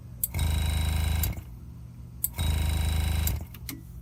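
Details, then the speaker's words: Air compressor feeding a Graver Helper/GraverMax pneumatic engraving machine at about 30 psi, set to handpiece one, which audibly leaks air: the motor hums about a second, stops, then restarts almost immediately, repeatedly. Short cycling caused by the handpiece air leak. "what's happening is the air compressor is trying to stay at an equal pressure with the engraver the handpiece set number one is leaking air when i hold it to my ear i can hear it leaking air and that's why this won't cut off for more than a second when i have the engraving machine on"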